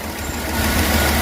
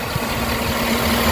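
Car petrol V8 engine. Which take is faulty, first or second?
first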